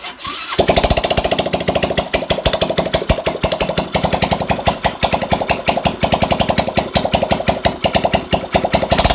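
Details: Carbureted motorcycle with compression loss, after repair, exhaust not yet fitted: catches straight away and settles into a loud, rapid, even popping idle from the open pipe, steady and strong.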